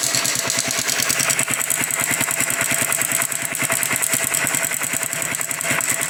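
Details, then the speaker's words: Honda Biz 100 engine idling, smoking: fast light metallic chatter of about three ticks a second, bright and tinny; mechanic judges about 90% likely cam chain noise. "mas esse barulhinho que apresenta na Biz 100 é corrente do comando tá muito provavelmente seja o caso dessa aqui é bem parecida é corrente do comando"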